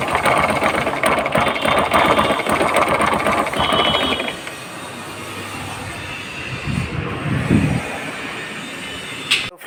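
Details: Bajaj Pulsar 135: a harsh, fast metallic ratcheting scrape over the engine beat. Three nuts on the starter clutch (bendix) came loose, letting it rub against the magneto pinion gear.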